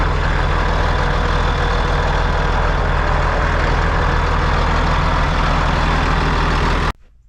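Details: Rebuilt John Deere 8300 tractor on test run under load: steady deep diesel drone holding even speed with no knocks or misses, then clean shutoff; temperatures stayed good throughout.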